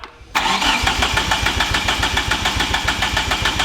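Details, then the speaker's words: Fully built 4G63T in a mid-engine Eclipse, first start: fires after a short crank, then runs lumpy with an uneven beat about three times a second; base timing way off, stuck near 30° BTDC, mechanical timing suspected. "sure enough the base timing was way off and no matter how we adjusted the distributor or the settings in the tune we couldn't get it better than like 30 degrees before top dead center"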